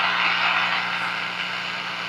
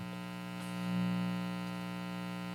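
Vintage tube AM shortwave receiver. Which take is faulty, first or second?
second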